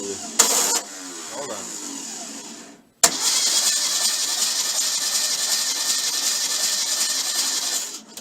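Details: VW bus engine before its first start, with a fixed bad ground and 12.4 V at the starter, cranking briskly and evenly for several seconds with no dragging. It has spark, oil pressure and very high compression; the starter is cranking normally.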